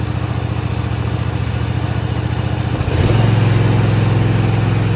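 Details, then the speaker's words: Cub Cadet ZT1 zero-turn mower, first start on choke after replacing the throttle cable and lever: the engine steps up to a steady low-pitched run but never reaches full speed. The throttle cable needs adjusting. "Well, it does work. However, it's not throttling up as high as it needs to."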